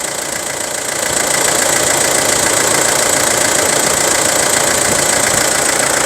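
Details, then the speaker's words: Isuzu Rodeo 4WD diesel with imported engine, no turbo or intercooler leaks, normal cooling, air conditioning on: even, soft, steady diesel clatter at about 214 beats a minute. Very quiet, smooth, healthy idle under AC load. "เสียงเครื่องเงียบมากเปิดแอร์หรือยังเปิดแอร์เรียบร้อยแล้วนะครับผมเสียงเครื่องนิ่มๆเพาะๆเลยพ้อทำแอร์ก็ใหม่ๆนะครับผม"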